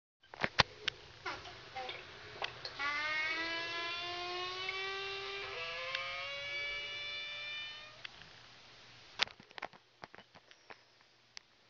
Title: Noisy vacuum breaker